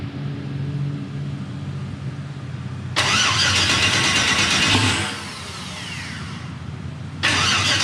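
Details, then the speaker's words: 1000 hp turbo LS Mustang, first start-up with new fuel lines and regulator; repeated bursts of steady starter cranking, sounds close but never catches; cranks but will not start. "It sounds like it wants to start. Okay, so that was a plus. Meter. Again, now it doesn't want to start again."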